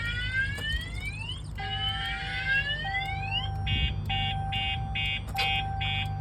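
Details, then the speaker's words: 2022 RAM TRX with alarm and kill switches armed; siren sounding as key present and brake pressed before the start button: rising sweeps then steady tone with chirps about twice a second; alarm active, engine start blocked. "You can hear that siren going off. They're not going to be able to cut the siren because they can't get to it."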